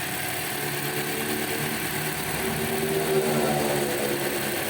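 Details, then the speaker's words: 2018 Toyota Corolla petrol engine idling after replacing only the alternator bearing: even, steady hum with no squeal, chirp or bearing growl from the belt — normal idle, quiet belt and alternator. "pronto mostrar aqui o resultado depois da troca do rolamento"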